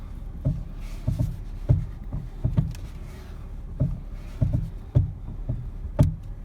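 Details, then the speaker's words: 2011 Ford Fiesta making popping noises when the steering is turned: dull low pops and clunks in uneven bursts from a worn steering shaft, heard before the shaft is replaced. "this noise is usually from the steering shaft so we're going to replace the steering shaft on this 2011 Ford Fiesta"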